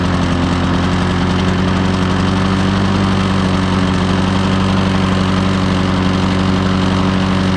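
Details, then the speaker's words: Old Lawn-Boy 10550 two-stroke push mower, first run after purchase, throttle checked at full travel: steady, even two-stroke drone at a low, flat pitch that never climbs. Dirty carburetor or an adjustment is suspected. Engine not reaching full speed. "Anyway, it didn't seem like it was getting up to full RPM, but I checked. The range of motion on the throttle was all the way."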